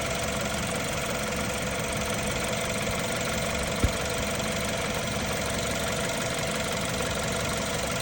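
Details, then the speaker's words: 2015 BMW F30 320i xDrive, N20 twin-turbo engine before timing chain replacement, no check engine light: steady idle with light fast metallic clicking. Worn timing chain rattle at idle. "It is not a big problem now. There is no check engine light. No nothing, but you can hear a little bit clicking noise and a little bit metallic noise."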